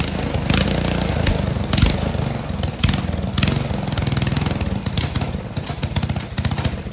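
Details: Restored Tecumseh 12 hp engine, primed, half choke, air filter off pending carburetor jetting work: quick, regular popping beat running steadily without stumbling; normal running.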